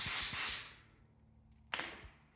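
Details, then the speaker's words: New Craftsman compressor (175 psi max) after tightening a leaking fitting, regulator set to 80 psi: two short sharp air blasts from the hose that cut off cleanly with no lingering leak; normal regulated air flow, about 80 psi. "let's open her up we're already open okay uh that's blue Air see yep that's definitely sounds like 80 psi verified"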